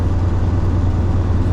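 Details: 2007 Freightliner Columbia, Detroit Series 60 diesel, after fuel filter replacement: hesitant to start at first, owner suspects air in the fuel lines, then deep, steady rumble with an even beat and no stumbling once caught; runs clean.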